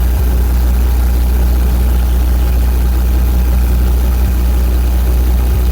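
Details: 35KW Briggs and Stratton generator with a GM 3.0L 4-cylinder engine, rough only at idle: deep steady drone with faint uneven thumps every second or so; the cause was a faulty computer control panel board.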